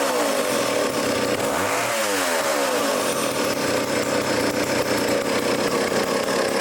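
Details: Old vintage foreign chainsaw after carburettor adjustment (low speed leaned out, high speed opened): revs up cleanly and holds a steady even high buzz without stumbling or surging; runs well.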